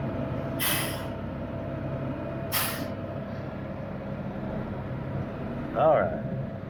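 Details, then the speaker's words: About 2000 Freightliner truck, sat six years, engine idling: two sharp air hisses about two seconds apart over a steady low rumble as the brakes release cleanly; normal air brake release after first hitting the wrong release. "I was hitting the wrong release but they released just fine"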